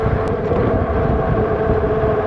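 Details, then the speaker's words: Kingbull Literider 48 V 750 W folding e-bike, riding under throttle: steady drone with a thin whine near 500 Hz from the rear hub motor over road rumble; the throttle responds about 2 seconds late. "There's a delay. Like right there, you can hear the motor whine. That took a good 2 seconds before it started to react."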